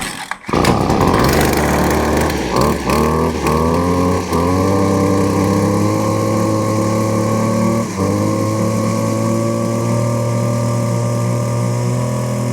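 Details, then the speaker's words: Stihl FS56RC-E gas trimmer started on half choke and held at full rev to warm up; strong, even high-pitched buzz with a couple of brief dips, no misfire or sputter. Then checked that it idles correctly. Normal warm-up. "Now, I like to, whenever I get these engines started, go ahead and, you know, get it on up there, get it full rev, hold that trigger down, let it really get that engine heated up, and then let off and make sure that you're idle."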